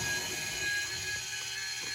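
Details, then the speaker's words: Water softener control valve with 9 years of salt-water drip, rinse state skipped: faint, steady whir of a small motor and gears turning the metal disc as it advances to fill. Normal. "You can hear that, all the gears turning, that little metal disc."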